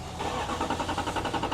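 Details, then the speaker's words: Duramax diesel truck on its third fuel pump after a CP3 conversion by a shade-tree mechanic, never right since; uneven churning quickening into an engine beat as it finally catches after a long crank; cause of hard start not yet found. "Oh, there it goes. Okay. So it's really, Yeah, that's a long crank time."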